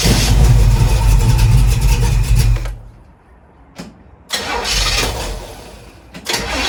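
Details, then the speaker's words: 1936 Chevy coupe after retarding over-advanced ignition timing by rotating distributor cap clockwise, which cured its no-start/starter issue; engine fires and runs strong, drops off, then brief cranks restart it readily: normal start. "Okay, that was an easy fix. So thanks to all those who suggested timing. Obviously what the problem is."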